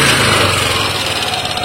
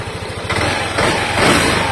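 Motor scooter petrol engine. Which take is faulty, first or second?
first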